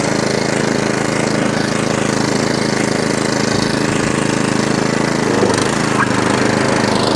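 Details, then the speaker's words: Atco Balmoral 17SK cylinder mower after fuel tap leak fix, off choke at full revs, drive engaged: steady small-engine drone with reel whirring evenly, no grinding, bumping, hunting or surging; running healthily. "here's your drive no grinding no bumping i love your machine"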